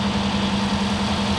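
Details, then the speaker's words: Kip's Willys Wagon on first run in the shop, no coolant, holding fuel pressure: a lumpy, uneven idle with a low drone and slight hunting. Owner thinks it needs timing and enrichment fuel adjusted. "We need to give it some timing, it sounds like, and some stuff, but by George, look at that."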